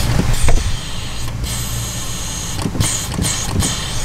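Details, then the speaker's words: Jeep Wrangler JK at idle: steady airy hiss while brake pedal held partway down; vacuum leaking from the brake booster through a bad internal rubber seal, booster needing replacement. "you push the pedal down like that you can hear it constantly leaking just it's just leaking the vacuum out of the booster because one of the rubber seals inside of it it's bad"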